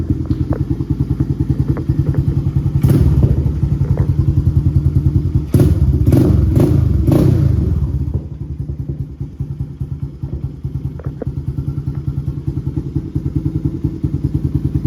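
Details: Honda TRX 250X quad with a newly installed HMF Performance exhaust, carb not yet jetted (110 main and 40 idle jets planned). Deep, thumping single-cylinder beat at a fast idle with a few quick revs; loud, aggressive but healthy exhaust note.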